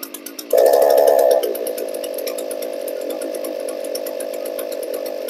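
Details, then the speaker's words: Small two-stroke handheld tool, a weed eater or blower: it screams briefly, then drops to a steady buzzy idle while still running on choke, showing the choke butterfly is not sealing. "is continuing to run on choke which tells me that the butterfly choke butterfly is not"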